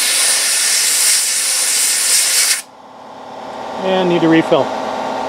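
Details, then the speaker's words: Sandblaster using worn leftover blast-cabinet media on 1968 Triumph TR250 flanges to remove surface rust before priming: loud steady rush of air for a couple of seconds, then cuts off; working normally. "probably do a little bit more blasting here just to get a little bit of surface rust off here before we go ahead and prime it"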